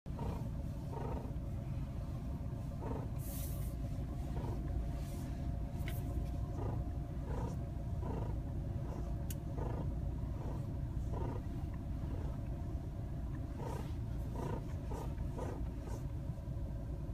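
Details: Nissan Qashqai J11 at 1°C outside: repeated groaning creaks as the steering turns, from the front suspension strut bushing; the dealer's replacement didn't last, and wax-like grease between the damper and bushing fixed it.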